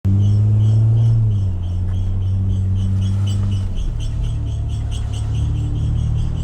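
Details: 2009 Acura TL SH-AWD with new StopTech drilled and slotted rotors and StopTech Posi-Quiet pads: faint high chirps about four times a second over low car rumble, brakes squealing persistently after the change, cause unknown.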